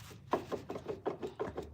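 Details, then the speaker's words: Ford Fusion Hybrid HF35 transmission, axle rocked by hand: light hollow clunks about four a second, axle moving in differential; fluid leaks at back axle causing bearing destruction and excessive play, rebuild planned. "You hear that? That's just the axle moving around in the differential in there."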